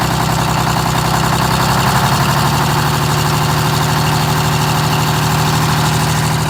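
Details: GM 4104 bus, Detroit Diesel 6-71, cold start around 35–40°F: loud diesel idle with uneven loose knocking rattle over firing beat; generator mounting bolts found ridiculously loose, tightened, likely explains oil leak.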